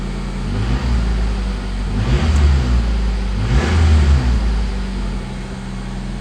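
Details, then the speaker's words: Honda CRX after alternator replacement with a rebuilt unit: idles and revs smoothly with a clean, even note and no belt squeal or chirp; charging at 14 volts, no battery light; earlier noise possibly just belt tension. "uh oh maybe i spoke too soon nice and quiet there's no more noise maybe it was just the uh the belt tension"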